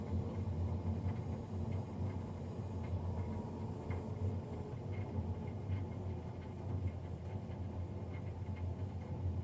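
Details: Navien NCB-240 boiler recorded Feb 3, 2020, three days after a Jan 31 service: loud low roaring drone with uneven surge, much heavier than a normal fan whoosh; combustion fan running noisy.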